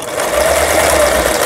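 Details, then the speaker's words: Yamata FY812 Chinese sewing machine, about 15 years old, after repair of seized internals, set to SS: fast needle clatter with a thin whirring motor sounds harsh and not smooth, blamed on the low-cost machine's weak internals. "그 다음에 요걸 SS에다 놨을 때 좀 저가의 기계라서 그런지 전체적으로 부드럽지가 못하네요."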